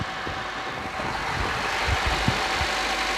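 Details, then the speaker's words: Suzuki Carry running on gas, previously hesitating, unable to accelerate and limited to 60, now idling with the air conditioning on: even idle with a low steady beat and airy hiss, no shake or misfire, running properly. "รอเปิดแอร์ก็จะอยู่ประมาณนี้นะครับเสียงเครื่องยนต์ไม่มีไม่มีสั่นนะ"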